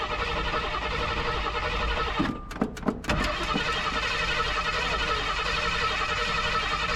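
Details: 1986 Jeep CJ7, built AMC 304 V8 (cam unknown, owner guesses Edelbrock-type), neglected: a few cranking bursts, then catches and settles into a steady, even idle without knocks; healthy cold start.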